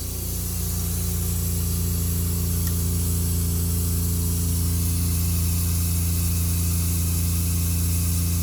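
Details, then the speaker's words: Concession trailer water pump switched on at startup with water in the tank and water heater plugged in: steady low electric hum, even drone, no surging or rattle; normal running. "at startup got water in the tank water heater plugged in water pump switch on"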